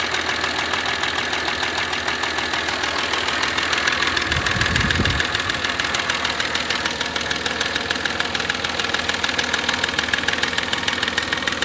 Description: Audi A4 V6 30v. Knocking noise caused by a faulty cam chain tensioner.